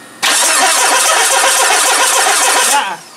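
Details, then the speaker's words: Mitsubishi RVR 2.0 L petrol with an electrical fault: the starter cranks briskly for about 2.5 seconds but the engine never catches. Owner notes a brief impulse when the ignition is switched on, then none. Crank, no start. "он когда вот зажигание включаешь небольшой даёт импульс ну как бы нормаль это мне сказал чтоб работает только почему-то потом-то нету импульса"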